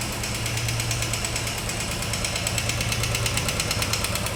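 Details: Royal Enfield 350, 10 months old, only 4200 km, idling with a steady sharp knock about three a second over the single-cylinder thump; the service center could not fix it and doubted the engine was the source.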